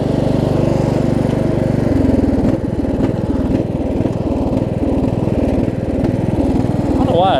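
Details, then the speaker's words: Craftsman LT1000 riding mower: mild surge at part throttle, speed rising and sagging, but runs well at full throttle and does not surge with the blades engaged; engine surging. "surging a little bit right there runs good with the runs good at full throttle though doesn't surge with the blades on either"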